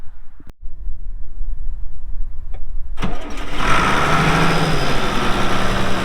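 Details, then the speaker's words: 1979 International 986 2WD diesel tractor, about 3,200 estimated hours: a couple of cranks, then catches cleanly and settles into a steady, even diesel idle with no knocks; normal start and idle, engine runs great. "Uh so like I said, here in a little bit, we'll fire it up, let you hear the engine. It runs great."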